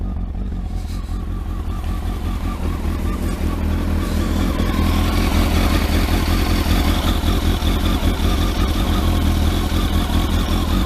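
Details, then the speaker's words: Kawasaki ZX12R just started after clutch install, freezing cold with choke on, warming up: cold idle climbing into smooth revs, no noises from the clutch side; sounds healthy. "no noises coming from the clutch which is good"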